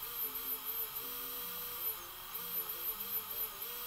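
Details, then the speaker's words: Brushless motor driven by an open-source Arduino-based ESC: high, clean whine rising and falling smoothly with throttle, responsive and quick, no grinding or stutter; normal running. "Anytime I increase throttle, the motor will start. As you can see, it is very responsive, and it will have a decent speed."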